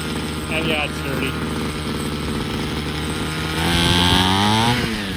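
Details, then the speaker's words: Ryobi CS26 two-stroke trimmer that starts fine: buzz rises on throttle, then sags and labours as revs fall; bogging down, cause not yet known, air filter, carburetor, spark plug and spark arrestor to be checked. "so i put on the gas it wants to bog down [Music] so why is that ease into it"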